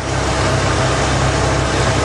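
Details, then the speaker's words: 3.8 engine idling once the fuel pump finally built pressure (checked at the Schrader valve behind the distributor): a low, even rumble with no misses, knocks or surging; it sounds totally normal, and the owner says no blown head gaskets. "I guess that fuel pump just wasn't putting up enough pressure yet it sounds totally normal strange"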